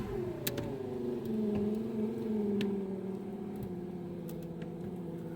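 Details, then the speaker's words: VAZ power window motor on ignition only, engine off: a steady whirring hum that sags and strains as the glass travels slowly; owner suspects the window seals were only lubricated, not cleaned. "слабо слабо что-то оно идёт на просто включённом зажигании"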